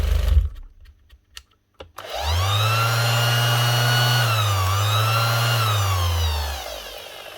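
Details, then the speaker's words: 2021 Makita BO6030 velcro sander that the customer says keeps slowing down: motor hum sags and climbs back as the speed wanders, with an odd smell that is not motor-like. Failing speed controller suspected. "She's gone up and down a little bit there. Not 100% sure on that one because it's also making a bit of a smell."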